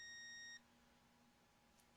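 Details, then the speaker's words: Multimeter continuity beep on a cleaned, regreased (old white lithium grease removed) stereo switch from a VT70 tube amplifier after repair: one short steady high beep, so the contact closes properly despite a little crud on the bottom. "So we're set up on continuity, so you should hear that. There's a little bit of crud on there on the bottom side, but I have continuity."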